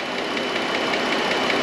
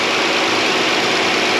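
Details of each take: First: 2013 Chrysler Town and Country 3.6 Pentastar V6 at idle, stethoscope on left-bank valve cover: sharp fast ticking over the hum, in time with engine noise, loud toward the back; failing roller lifter. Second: 2013 Chrysler Town and Country, 3.6 Pentastar V6, after replacing a bad lifter roller follower: smooth steady idle with only light injector tick; the earlier lifter tick is gone, engine healthy.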